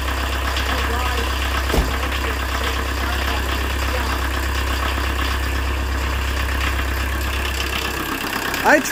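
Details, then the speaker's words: 1986 VW Jetta turbo diesel with almost no compression and a previously dry injection pump, started off the key after refitting glow plugs and injection lines: steady, even clatter, regular idle, no misses or knocks; normal idle. "traded an old junk snowmobile for this and I paid 150 for and then about what four hours work not even that includes getting it home here it is starts off the key"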